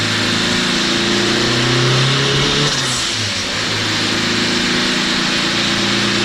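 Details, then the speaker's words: Turbo K20A2 Honda Civic wagon on dyno, Garrett 60-1 T3, 1600cc injectors, about 9.5 psi, old spark plugs: hard pull climbs then sputters and cuts out near the top before recovering; worn plugs suspected, to be replaced. "Those plugs are done. Huh? Oh, I bet they were done. You can hear that cut in between on the top end."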